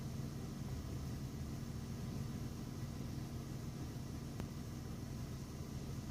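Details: BMW E46 ZHP, 130k miles, hard start and mild rough idle, with a loud steady hiss at the right rear from a brand-new fuel pump; codes P0171/P0174 persist despite many vacuum fixes and smoke test; cause undiagnosed.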